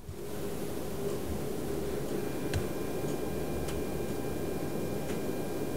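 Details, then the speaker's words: Rigol DP832 power supply after replacing the noisy stock fan with a Noctua NF-R8, startup recorded with very high amplification: only a faint, soft, even hum under a clock ticking about once a second; the new fan runs almost silently. "I've actually recorded the noise of the startup procedure with the old and new fan with very high amplification so you'll even hear my clock in the background"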